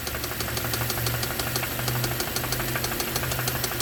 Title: Hyundai rod knock 💀😱💀